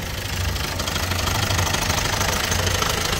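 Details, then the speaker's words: Opel Astra J 1.6 diesel, 136 hp, manual, 98,000 km, cold morning start: a loose, busy metallic timing chain rattle over the low pulsing diesel clatter at idle, before chain replacement. "araç sabah çalışırken soğuk çalışıyor ve zincir ses yapıyor onu göreceğiz bunu sökeceğim"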